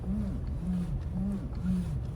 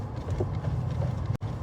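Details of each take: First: Toyota Land Cruiser 200: low moaning groan in the steering, coming and going about twice a second as the wheel turns, mostly in cold weather and sometimes absent; cause was a dry steering shaft joint, cured by greasing. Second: Toyota Land Cruiser 200 after greasing the steering shaft joint (cross joint is new): just a low, even rumble with no groan from the steering; the earlier cold-weather groan is gone after a road test.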